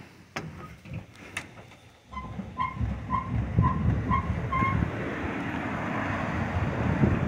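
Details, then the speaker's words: 1999 Ford F150 rocked up and down gives a short high squeak about twice a second from the rear; internet suggested leaf springs, but the cause found was a loose bolt on top of the shock mount. "However, after going under my truck and having my daughter jump on the bed, I discovered that there's a screw here on top of the shock and it's loose."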